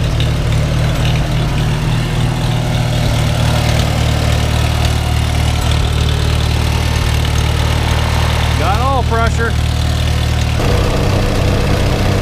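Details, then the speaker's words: Farmall H, first start after winter on a cold day with thick oil, now warmed: steady low four-cylinder idle, even with no misses and a brief squeak. Initial roughness cleared and all four cylinders firing. "her idle was a little bit uh rough there at first but she smoothed out again now got some heat in and all four cylinders come back to life"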